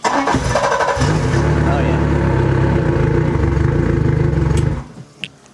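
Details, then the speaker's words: 115hp Yamaha outboard with water on, cranked on a lithium LiFePO4 battery (100Ah WattCycle or 140Ah LiTime test): fast strong crank catches within a second, runs steady about four seconds, shuts off; healthy start. "Wow, I am shocked. It cranked it really well. Both of these batteries crank really well because this Yamaha doesn't like to be cranked slowly."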